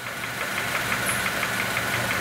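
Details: 2006 Honda Element 2.4L engine idling: a steady, sharp knock several times a second, loudest in the block on a stethoscope, with the oil pan gasket recently changed. Internal bottom-end knock with cause still unknown after three other shops.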